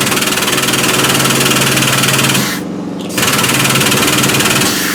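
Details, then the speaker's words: Mower lift table: electric motor whirs with a rough, pulsing chatter and briefly drops out; the table jerks and tries but won't raise; parts unavailable for repair. "you hear the motor but you won't you won't hear the it won't go up you see it tries it did you see it jerk it tried to go up"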